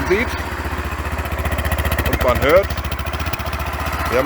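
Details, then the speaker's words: Bike named Gina, a newly acquired machine planned for modification: steady, even low thumping idle with no misses, knocks or hunting. Owner says it runs well, engine running perfectly with no faults. "हाँ, जैसा कि मैंने कहा, और यह काफ़ी अच्छी चलती है। अब हम इसकी जाँच करेंगे।"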